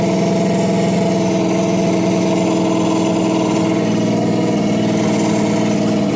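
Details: LS-swapped (4.8/5.3) 1990 or 1995 Chevy OBS truck, first start of the swap: steady, even idle with a smooth low rumble and no misfire stumble, sounding like all eight cylinders are firing; normal idle.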